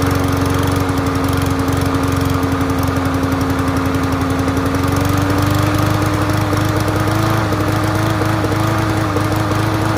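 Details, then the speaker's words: Free Yard Machines MTD push mower from transfer station, started first pull on choke; steady buzz that stumbles and flutters unevenly, sputtering; owner first suspected fuel, later found loose spark plug wire giving intermittent spark misfire. "so it started right up on the first pull which blows my mind but it has some sort of sputter to it"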